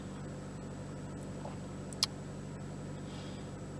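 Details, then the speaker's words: 2013 Chevrolet Cruze 1.4 L turbo petrol, after repair of a P0300 random misfire, idles evenly at a raised cold-start fast idle with no stumble; misfire counters show none. "I don't feel a mess vehicle seems to be running nice and smooth just waiting for this initial cold start idle kick down to come down"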